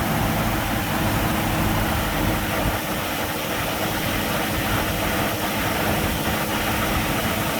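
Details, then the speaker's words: 1965 Mustang small-block Ford V8, 650 CFM Street Avenger carb, still warming up: steady, fairly high-pitched fast idle at about 1200 rpm, even rumble, no knocks; electronic choke function uncertain. "I'd say it's about 1200 right now."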